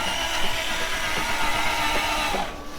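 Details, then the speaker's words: 1996 Toyota Tacoma 3.4L after rolling onto its side: uneven stuttering 'sewing machine' crank with rapid ticks, then normal cranking, exhaust smoking; owner suspects timing belt jumped or skipped teeth, not confirmed. "Let me roll the tape back from when we first rolled it back over and I was cranking it, because it definitely did like a weird, like, we call it the sewing machine, where it's like, and then it went back to cranking like normal though."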